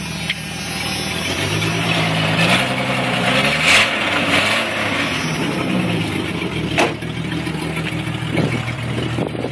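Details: 1996 Jeep Cherokee Sport 4.0 inline-six idling and blipped with a raspy, puffing exhaust tick sharpening on revs; exhaust broken at the Y-pipe, leak worsened over six months.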